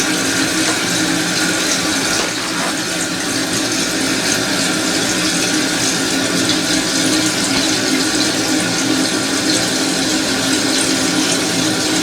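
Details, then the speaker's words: Toilet tank refilling after replacing the fill valve part; smooth, even rush of water with no whistle, hum or chatter, then stops; fill valve now closes properly. "yeah let's try there's no noise right it's fresh"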